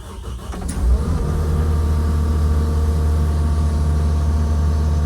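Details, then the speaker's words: Kubota SVL75-2 after a main fuel filter change, primed about two minutes with key on: short crank, then catches and settles into a steady, even idle with no stumbling or dying. Normal start and idle. "huh it's running and it's longer than one to two seconds or three to four seconds so sounds like we might good be good"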